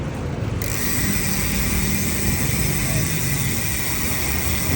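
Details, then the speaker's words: PAPS Pro-1 rear hub on an 8-speed bike, used about 8 months, chain on the middle sprocket, wheel coasting: a fast, even, unbroken freehub ratchet buzz with clean pawl engagement. The hub sounds healthy and would be louder on the smallest sprocket. "Paano pa kaya kung nasa pinakamalit niya sprocket, mas tulin yung play wheel niya, mas maingay. Ayan. Ito nasa gitna siya pero yung ingay niya, narinig nyo naman."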